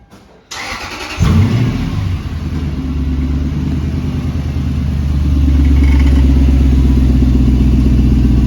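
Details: Toyota 100 Series Land Cruiser before muffler replacement, muffler rusted with holes: engine catches, then deep uneven gargling rumble with a rattly edge at idle; owner suspects it hurts gas mileage; exhaust leak from rusted muffler.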